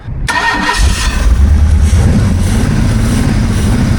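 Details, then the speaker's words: 1978 jet boat Ford 460 big-block, running in the water: fires up then runs with an uneven, stumbling beat, better than on trailer but still not right; misfire from low compression on two cylinders. "sounds a lot better in the water, but still not running right. That's for darn sure."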